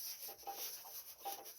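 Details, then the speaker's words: 2011 Toyota Prius, front raised, wheel turned by hand two days after ATF-WS fluid change: faint irregular scraping rub about three times a second, coming as resistance is felt, gone when coasting; from transmission or differential area, not heard driving. "So as I start turning, I feel a little resistance and that's when the noise comes. And if I just let go and let it turn, that noise does not come back."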